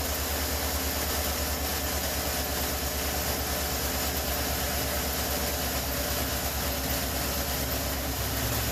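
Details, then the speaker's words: 2013 Chevrolet Suburban 1500 5.3 V8 after replacing the belt tensioner whose pulley bearing caused bird-like squeaking: even, steady idle rumble with no belt squeak or chirp, quiet accessory drive; normal idle. "There you go. Quiet as a mouse."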